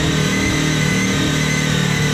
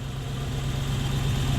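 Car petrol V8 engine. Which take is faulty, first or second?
first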